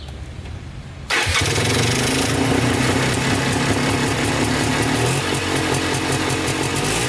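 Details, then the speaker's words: Polaris Trailblazer 250 two-stroke quad with a cheap new top-end kit and rebuilt carburetor, started cold for its second break-in run: catches straight away and settles into a crisp, steady run. "we're going to start it up and let it run for about five minutes flipping the throttle"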